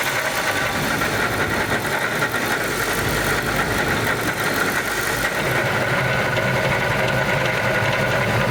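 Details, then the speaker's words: Ford Lightning V8 with an Eaton supercharger from Jokerz, after one summer of driving: idle carries a steady high whine with an uneven rattle underneath; the supercharger developed a noise and has failed. "during that amount of time it developed a noise and now it sounds terrible"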